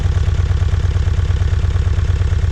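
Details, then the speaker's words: 2007 Kia Sportage VGT diesel with early DPF, 213,280 km, at cold-start idle: deep, uneven pulsing, loud hunting idle; power balance test shows cylinder deviation. "자, 보시면은 차가 엄청난 소음이 보이시죠? 차가 헌팅을 합니다."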